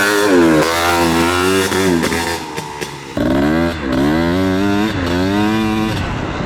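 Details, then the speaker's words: Honda Odyssey FL350 after performance overhaul with new expansion chamber, muffler, carburetor and intake, being run up to temperature for tuning: crisp two-stroke buzz blips up and down on throttle and clears cleanly with no misfire or knock; healthy running. "the King of Pain boy this thing sounds good"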